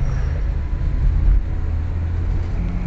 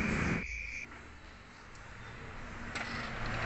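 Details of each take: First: Nissan Grand Livina after idle learning and ignition timing setting, road test under load: even low rumble with no pinging as revs rise through 2500–3000 rpm, where it previously knocked; knock fixed, engine healthy. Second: 2010 Toyota Avanza with a history of severe overheating, engine idling: rough, harsh idle with a raspy metallic clatter, worse when revved; suspected piston slap, loose pistons or worn rings; overhaul recommended.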